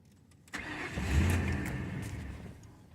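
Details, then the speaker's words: 2002 Ford Crown Victoria 4.6L V8, 103K miles, intermittent cold start issue: it catches after cranking, flares, then sags instead of holding fast idle and stalls off the gas. The idle air control valve is suspected. "you should roar to life and go right on fast idle it's not doing that"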